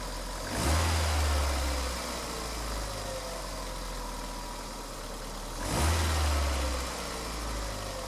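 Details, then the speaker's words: Mk5 Ford Escort, just fitted with a replacement (possibly wrong-part) MAF sensor after exhaust work: two throttle blips, revs sag back slowly before settling to idle; revs hang after revving. "It takes a while for the revs to come down."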